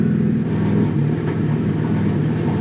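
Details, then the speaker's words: BMW F80 M3 (fire-damaged, stage 2 tune) just after startup following new charge pipes and J-pipe for a boost leak: lumpy, uneven idle with a stumbling low beat, misfiring; owner suspects the tune or spark plug cap. "That was a good startup. Misfiring."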